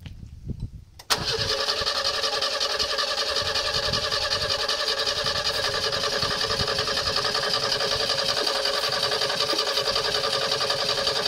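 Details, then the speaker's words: 1970 Renault R6 revived from storage: the starter churns steadily for ten seconds but the engine never catches despite fuel pressure, air and starting fluid. Cleaning the distributor cap wasn't enough; ignition parts seem to need replacing. "la voiture ne veut pas y aller elle peine on sent bien qu'il y a quelque chose qui manque pour que le moteur veuille bien se lancer"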